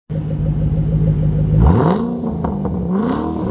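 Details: 2007 Ford Shelby GT500 started after filling engine, gearbox and axle oil and fitting a Centerforce twin-disc competition clutch: catches, smooth idle, clean rev rising and falling back, no rattles or misfires; normal revving.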